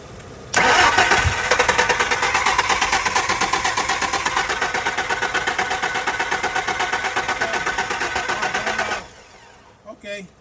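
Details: Steady starter cranking about three beats a second for eight seconds, never catching; crank-no-start with weak ignition pulse at coil pack shown on two spark checkers, owner suspects computer; cause unconfirmed.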